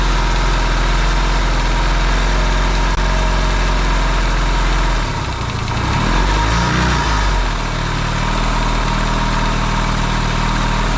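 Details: Yamaha XS650 twin, engine just reinstalled in frame after work to cure oil burning, first start: steady even low idle with brief throttle blip midway, quiet, no pinging or knocking; smoking, owner hopes break-in. Normal idle.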